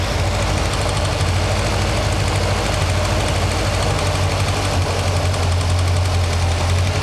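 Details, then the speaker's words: Toyota after sitting, warm after a drive, idle brought down: light, fast clicky tick over steady idle, worse each drive; suspected exhaust manifold leak, clacking valve or both, not confirmed. "Now you hear the clicky clacky. That is either exhaust manifold leak, u clacking valve, or a combination of the two."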